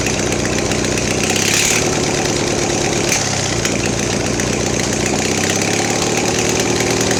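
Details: Mastercraft (MTD) 46" riding mower, Briggs twin, now fed by fuel pump: rough idle stumbles and sags when throttle opened, dying; owner suspects fuel starvation, weak pumping, probably plugged main jet.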